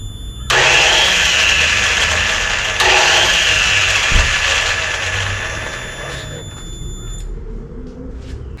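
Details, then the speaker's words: Suzuki RE5 rotary motorcycle being revived with a homemade radiator, 5 L of fuel and a refurbished starter motor: long whirring crank of about six seconds that never catches and fades out slowly; nearly started, starter suspected, not confirmed. "Even though I know a starter motor is not a rotary problem, but anyway, this is just a old school problem, I guess. But I nearly did start."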